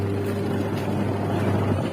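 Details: Polytron twin-tub washing machine whose pulsator wouldn't spin, tested after repairing the wash motor: steady low hum with an even drone, no grinding or knocking. Wash motor and gearbox run smoothly.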